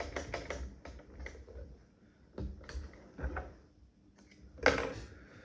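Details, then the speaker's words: 1885 Singer Improved Family treadle sewing machine while sewing: quick light clicks and taps, a knocky rattle as it turns, caused by play in the old worn hook. "So this machine is a little bit knocky. You can hear it clicking as it turns, and that's really because of the age of the hook. There is a little bit of play in the hook."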